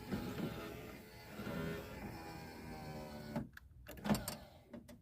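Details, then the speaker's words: 2001 Toyota Camry power window motor still in the car, before replacement with a Denso unit. A steady electric whir runs about three seconds as the window moves, then stops; the motor works only intermittently. "on my car he knocked it off there it works now it wants to"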